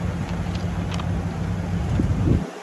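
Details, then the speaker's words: 2004 Ford F-350 truck, started right up with jump box, idling after being moved backward and forward: deep steady even rumble with some wind on mic before shutting off; sounds really good, healthy idle. "Sounds really good."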